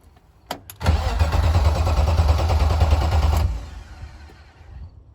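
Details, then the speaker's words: BMW E36, first attempt to run, with a jumper wire bridged in: engine spins in an even chug about three turns a second for under three seconds but never catches; engine not locked up, owner says it needs a fuel pump. "It's not locked up. That's fucking sick. We gotta do Huge. that again. Do it again. Yes, it is. We need a fuel pump now."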